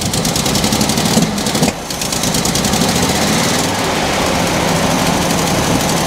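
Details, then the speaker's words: Mercedes W123 idling after new HT leads fitted and plug-top knobs refitted: uneven, lumpy idle with irregular puffing, sounds like a miss; smoke and exhaust fumes, owner suspects exhaust puffing from a leak after the manifold rather than a true miss. "this time better or worse than before it sounds like it's missing doesn't it"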